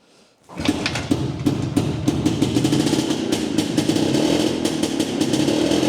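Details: Jawa 250 two-stroke, first start after engine opened for heavy smoke following a dyno run: catches, then runs with an irregular, popping, uneven beat at fast idle, still smoking some; rough running.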